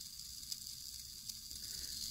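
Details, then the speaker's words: Bachmann HO-scale PCC trolley rail bus, the fourth motor, after cleanup, running at high speed: a thin, steady, high-pitched sizzle and buzz from the tiny motor; these motors seem inherently noisy, though the cause is not confirmed. "And I have come to the conclusion that these things are just noisy. So every now and then you'll hear it get a little noisy on me. Now that I've kicked up the speed, you can hear the noise."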